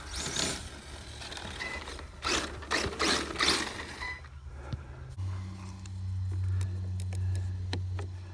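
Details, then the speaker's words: Kyosho DRX VE Ford Fiesta S2000 RC rally car with motor fan on ESC, warm day test drive: irregular rattly clatter bursts while driving, then steady motor hum; body rubbing, likely wheel on body, owner suspects rear needs raising; no overheating. "Yeah, something's rubbing. I'm not quite sure what. Maybe the back needs to come up. Almost as if the back needs to come up. Yeah, it's making too much clatter."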